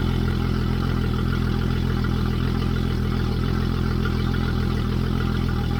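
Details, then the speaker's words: Yamaha F225XB outboard newly installed on a 21 ft pilothouse boat, fresh 20W-40 oil, running out of the water: steady even idle, low drone with light regular mechanical patter, loud but no misses or knocks; healthy. "Alright, it sounds really loud. Maybe when it's in the water it's not gonna sound that loud, but that sounds loud. Alright, it's running perfect."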